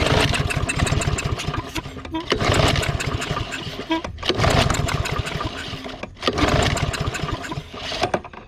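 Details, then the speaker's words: Discarded walk-behind lawn mower on several pull-start attempts, each giving a ragged burst of pops that dies within about two seconds. Fires briefly but won't keep running. "it well it popped off a couple times there"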